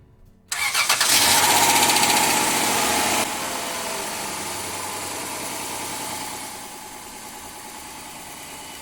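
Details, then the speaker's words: 2001-2007 Dodge Caravan minivan after fuel pump module replacement, pump primed several times: cranks briefly, catches cleanly and settles to smooth even idle, no misses or knocks; normal start and idle. "oh yeah back to business back to life cheap fix"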